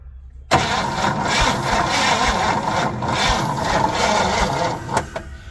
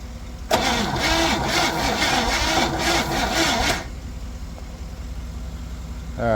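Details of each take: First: 1961 Chevy Impala 4-door, sitting 20 years, cranked on jumper cables: the starter turns steadily but the engine never catches because there is no ignition spark; the coil is to be checked next. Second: 1961 Chevy Impala four-door, sat 20 years, jump-started from another truck while no spark was found yet: starter spins the engine briskly and evenly, nearly three compression pulses a second, no drag; normal cranking.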